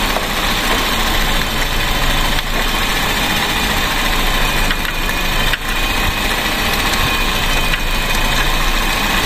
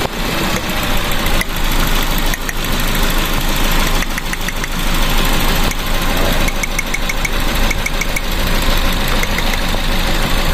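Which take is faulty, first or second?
second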